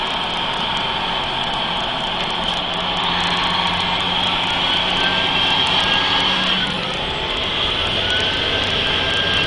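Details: Mercedes-Benz 3340 truck diesel during turbo failure testing: a loud, jet-like turbo whine rides over the engine, its pitch sliding up and down with revs.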